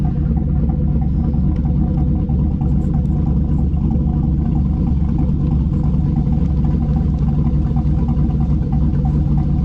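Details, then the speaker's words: Rebuilt 2009 Chevy Tahoe V8, warm after 15 minutes at 210°F water temperature and about 40 psi oil pressure, recorded at the tailpipe: a steady, even, somewhat loud low rumble with no misses or knocks, a healthy warm idle. "oil purchasing about 40 pounds RPM sounds good we'll take y'all back let you hear from the back inside a little bit there you go"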